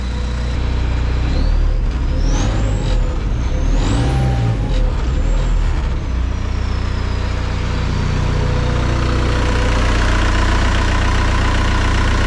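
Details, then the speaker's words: Homemade aluminum tracked snowcat with 1.9L ALH turbo diesel and hydrostatic drive on first shakedown, with a major oil leak; even, steady diesel drone with turbo whistle rising and falling with throttle, no knocks or misses, runs good. "Sounds good, runs good, haven't thrown a track. Other than that, you know, major oil leak, it's pretty good."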